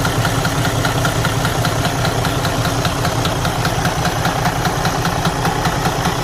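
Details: Detroit DD13 diesel truck engine at steady idle: dull, low knock deep inside the engine, about 2.5 times a second; engine must be opened to investigate internal damage.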